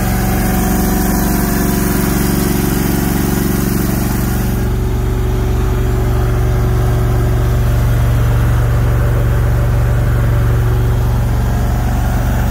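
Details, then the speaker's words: Brand-new Briggs & Stratton PP20 20kW natural-gas whole-house standby generator, first start after four attempts, heard about 10 feet away: steady even low hum, no knocks or rattles; quiet, healthy running at low speed. "pretty quiet took four attempts four start attempts to get running so you know I'm with I'm like I'm about 10 feet away from it that's the noise not bad"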